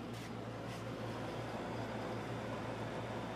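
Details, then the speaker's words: 240-volt wall unit in an uninsulated room, started in air-conditioner mode: steady low hum with an even airy rush, no rattles or cycling; normal running. "It's already getting cold. This is a 240 volt unit. Yeah, that thing works great."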